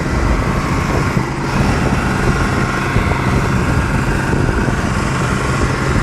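A dense, steady, deep roar with no rise or fall, the diesel stuck at high speed and running away out of control.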